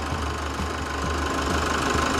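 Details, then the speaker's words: 2017 Chevrolet S10 diesel, 148,000 km, running after engine service (decarbonization, timing belt, water pump): steady, even idle with light injector clatter; healthy. "estamos aqui com o motor funcionando Olha que beleza"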